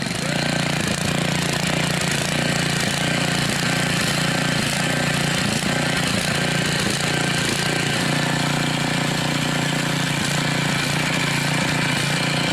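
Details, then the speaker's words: Mastercraft rototiller, Briggs 5 hp OHV engine fitted with an unknown Amazon carburetor, governor adjusted, running about 3480 rpm. A fast, steady drone with a slightly unsettled beat; it appears to be leaking and it runs lean, needing partial choke. "And it looks like it's leaking. So, I had to put the choke on a little bit."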